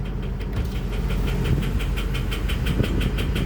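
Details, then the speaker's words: Ford 6.0 diesel (2003–2007), engine replaced about a year earlier, with a cylinder 5 misfire from a failed injector. Heavy even tapping about four per second over a rough idle, worse as rpm rises, with heavy smoke, before all the injectors are replaced. "You can see the smoke going up, and you can hear the noise pretty bad when I'm raising the RPMs."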